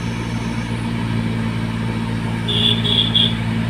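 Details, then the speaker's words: Car AC blower motor, already cleaned: steady low hum with a thin whistle over the engine appears when the vents are closed and stops when opened; just restricted airflow, no fault. "तो ये हवा जो है कभी कभी जाम हो, इसको ये बंद कर देते लोग, साउंड आना शुरू होता है। देखिए अब ये देख सकते हैं, ये आवाज़ चालू होता है, जैसे हवा खोलते हैं बंद हो जाता है।"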